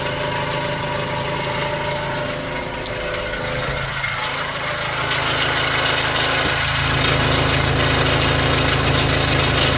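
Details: Renault Kangoo I 1.9 dCi diesel at idle: steady, even rap of about four a second over the drone, an abnormal knock of unknown cause; owner also reports black smoke on acceleration.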